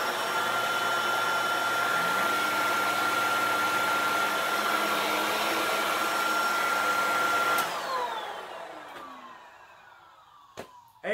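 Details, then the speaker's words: Shark vacuum after fitting a replacement motor assembly: steady high motor whine for about seven seconds, then a smooth wind-down when switched off. It is running normally and quietly. "so this thing is working now and I'm pretty if it's pretty quiet too"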